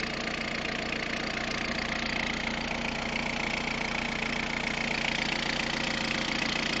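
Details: Peugeot 106 1.5 diesel (11/2002), 130,000 km, timing belt done at 73,000 km: idling with a fairly regular tick about three per second over a busy clatter; abnormal noise, cause unclear.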